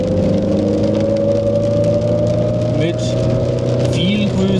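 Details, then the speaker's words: Car restarted after nine months off the road, repaired after timing belt snapped in 2019 due to failing water pump: steady engine hum, constant pitch, even running, no knocks or rattles; normal running. "motor läuft reparierte auto läuft standen neun monate"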